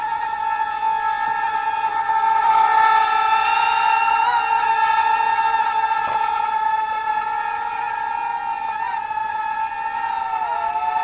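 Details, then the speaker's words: UDI RC Peregrine U28W small 2.4 GHz WiFi FPV drone hovering on altitude hold after auto takeoff: steady high-pitched buzzing whine like a little swarm of bees, pitch wavering slightly; normal hover motor buzz. "sounds like a little swarm of bees"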